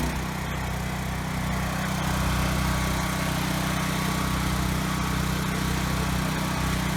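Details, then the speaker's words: Ryobi RY905500 5500-watt generator restarted at no load after resetting the tripped GFI: steady, even drone with a smooth hum and no misses or surges. Voltage is good and the hertz is slightly high. Normal running. "okay good the Hertz is a little bit high so I'm gonna tweak that a little but it was just the GFI that was tripped thankfully"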